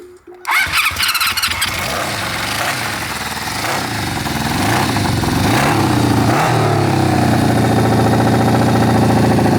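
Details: 1972 Honda CB350F big-bored to 400cc after 20+ years sitting, third start attempt: short crank, catches, revs unevenly, stumbling and surging into rough loud idle, very smoky; rough running on start, then carburetor knocked off.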